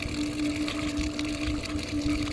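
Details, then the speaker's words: Ditch irrigation pump being primed with a garden hose, valve cracked to purge trapped air: a steady motor hum with a rough gurgling churn, getting louder as it fills. Air-bound pump, not yet primed. "So if if I crack that valve open just a little bit, you can hear it starting to purge the air out, and you can hear the pump is starting to fill up. You can hear the pump's getting a little bit louder and louder. It's got some air trapped in it, and in just a second it's going to go."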